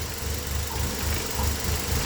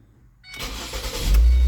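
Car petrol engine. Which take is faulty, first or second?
first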